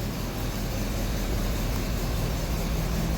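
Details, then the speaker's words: 1980 Triumph TR7 carbureted four idling in a cold garage just after a new inline fuel filter was installed; steady low rumble with even pulse, no knocks or misses, fuel flowing through the filter; normal idle. "All right, so we are up and running. Get around the other side of the car, up and running. Wouldn't you know it, there's fuel going through the fuel filter. It's alive."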